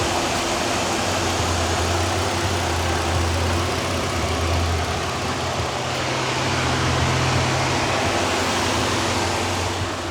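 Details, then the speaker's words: Used work truck checked under the hood at idle: steady, even, quiet idle with only a soft belt whir, no knocks or ticks; engine sounds great. "You hear that baby purr? Engine sounds great. Nice and quiet. Not too loud. No weird sounds."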